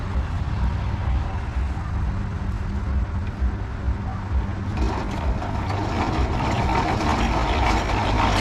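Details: Russian DT-14 tractor single-cylinder diesel, hand-cranked without a battery, cold start after sitting about 10 years; water service done and oil checked beforehand. Starts simply and chugs steadily at about two beats a second; normal start and idle.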